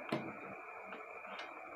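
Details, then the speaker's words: 220 V relay being plugged in: a single sharp click as it energizes, then only quiet room hiss with no buzz or chatter; relay pulls in normally. "nah relay seperti ini teman-eman untuk suaranya ya jadi setelah dicolok dia bunyi sekali"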